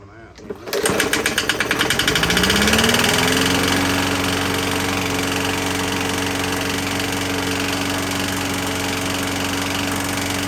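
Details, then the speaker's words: 21-inch Murray push mower, 125cc, in rough shape: small engine catches and settles into a harsh, buzzy run with uneven thrash; owner feels near the valve cover for the knock, suspects something warped rather than a flywheel key; cause unconfirmed. "let me start it up one more time and I'm gonna feel around over here and see if that's where the knot is coming from"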